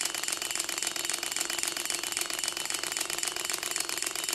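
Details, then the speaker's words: Six-cylinder Gatling Blaster Stirling engine after broken liner replacement, all six displacers checked, first test run: light, quick ticking at about three or four beats a second, fairly steady with no knocks; normal running. "feel it up and give it a test run see it move a little bit on its own that's a good sign"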